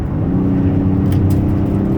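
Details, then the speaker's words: 2009 Dodge Caravan SE mobility van, V6, 233k miles, test drive under hard throttle to about 68 mph: deep, steady pull, smooth and even with no knocks or misses, and the transmission shifts nicely. Healthy acceleration. "Engine still strong. Transmission shifts nicely. Got up to about 68 miles an hour there."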